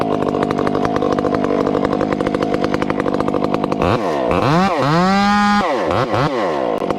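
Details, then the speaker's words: Chainsaw cutting small wood with a hand-filed chain: pulls hard with faint uneven burble, then revs out clean; slight four-stroking, acceptable, though steady four-stroking would carbon up the piston. "a little four stroking is okay friends but steady and small wood is is is unfair to the operator it's it's not even that fair to the saw cuz it'll carbon the saw up"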